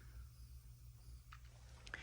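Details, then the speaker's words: Mackie CR4-X studio monitors, nothing playing: constant faint hiss over steady low hum, present whenever powered and independent of volume knob; owner unsure if just a bad set. "And it's pretty crazy because the static is not dependent on how high you turn this volume knob. Just the minute you turn it on, the static is there."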